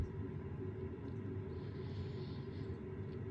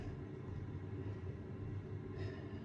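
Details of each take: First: Rinnai Energy Saver direct vent wall heater: low steady fan rumble with a few sharp ignition ticks, but the burner never lights and the unit shows blinking error 11; failed ignition attempt. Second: Rinnai direct vent wall heater with error 11, after carbon was cleaned off the igniter tips; the igniters come on and the burner runs with a low steady rumble, no sputter, pops or misfire. Normal burner operation after the fix.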